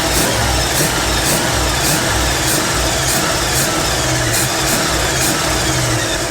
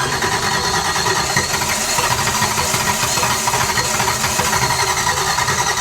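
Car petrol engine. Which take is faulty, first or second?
second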